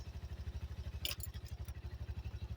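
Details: 1985 Yamaha Moto 4 ATV after old carburetor replaced with a new one; soft, even low thumping at a steady rate with only a brief clatter, running quieter than ever: normal idle.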